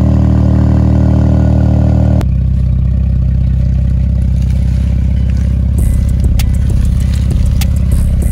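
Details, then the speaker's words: Dodge Durango after swapping the blown engine for a Durango GT engine, first startup: deep, even rumble settles into a steady beat after a sudden change in note, no knocks; swapped engine runs healthy. "Now I'm gonna give that our first startup. Well, I really already started up, you know that, because you see it move, but we're gonna give y'all that first startup, let y'all hear it real quick."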